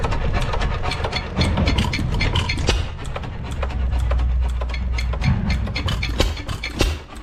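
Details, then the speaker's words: 1909 Lauson 2.5 HP hit-and-miss engine, unrun about 5 years, with rebuilt igniter installed, running outdoors: slow, even firing knocks over a low thump with steady hit-and-miss timing, no misses or rattles. Running healthy. "anyway sitting out here running good new igniter or rebuilt igniter is working perfect"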